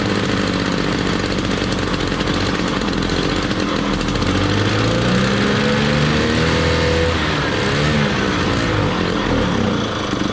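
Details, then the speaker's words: 1968 Ski-Doo Super Alpine with 370 opposed Rotax two-stroke, first start in two years at −23°C, choke held on: revs rise and sag, stumbles toward idle, ran about a minute; won't idle, belt smells burnt, cause unconfirmed. "okay so not so sure how well uh it's going i know that sort of ran for about a minute had to keep the choke on uh pretty consistently"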